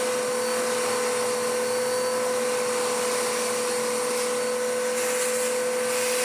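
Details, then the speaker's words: Dirt Devil DD6114 vacuum, an Electrolux Contour clone, long stored damp, old belt smelling hot: steady clean motor whine with strong rushing airflow, no surging; airflow much improved after initially abysmal suction. "It's running better now. The airflow has improved no end. That's not bad. That's astonishingly good, actually."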